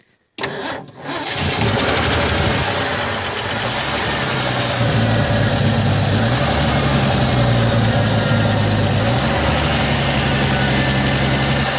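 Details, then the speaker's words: 1984 Ford F-150 abandoned in the woods since 2008, first start in ten years after charging the battery, on old treated pre-ethanol gas: it cranks briefly, catches, then settles into a steady, even idle with no misfire or knock. "Well, she will definitely vroom. Yep, she runs."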